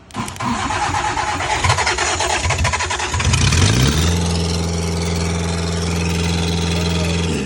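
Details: 1998 Gehl skid steer with a Kubota four-cylinder diesel, after rebuilding the fuel pump, bleeding the lines and heating the glow plugs: loud clatter while cranking, catches after about three seconds and settles into a steady, even idle. Normal idle.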